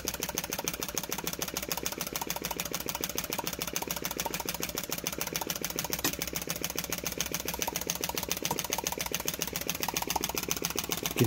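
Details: Flame licker model engine with taper-bored flywheels and miniature QD bushings: quick, even popping and snapping from the ball valve at a steady rate with no stumbles; running normally.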